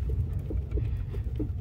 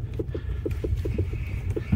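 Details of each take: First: Renault Sandero rear suspension after adjustment (right side needed upper latch and bolt removed): rougher road, shaking in the trunk where recorded, deep steady rumble but no knock; quiet, fixed. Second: Renault Logan rear suspension on a rough-road drive: sharp hollow knocks, three or four a second, over a low rumble, like a loose muffler. Caused by the shock absorber nut tightened almost fully; loosening it stops the knock.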